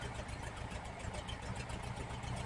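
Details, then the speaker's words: 1968 VW Type 3 with original Bosch fuel injection after readjusting the throttle switch (TPS), warm: low, even idle at about 850–860 rpm, very slight fluctuation, no knocks or misses; normal idle. "$850 fluctuating. So yeah, 850, 860. Dead spots out. Very, very slight. I can live with it."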